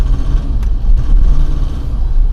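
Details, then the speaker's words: Nissan Pathfinder diesel idling: a heavy low rumble with sharp detonation knocks, which the owner says it has always had; an auxiliary electric fuel pump and extra filter are being added. Cause suspected, not confirmed. "just simply understood that the diesel engine is running and so all my life in the detonation mode but this rumble it is very unpleasant"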